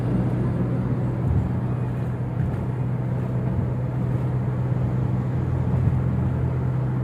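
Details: Toyota Innova Reborn on a toll road at 100 km/h after removing the roof rain gutter (talang air): only an even low road rumble with no hiss or whistle; the usual wind noise is gone, so the owner suspects the gutter causes it.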